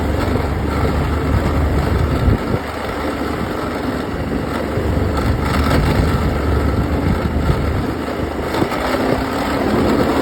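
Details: Outboard engine running with rough uneven grinding rattle about four pulses a second; compression excellent, prop not slipping; new spark plugs stopped it briefly but it returned; cause unknown.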